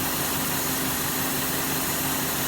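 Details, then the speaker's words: 2005 Cadillac DeVille misfiring badly at idle: a steady airy hiss holds constant over the idle without rising or pulsing; the source is not found, and a stuck A/C compressor pulley is being checked as a suspected cause. "it's a stuck pulley as I hear something hissing I want to see if it's got a start compressor"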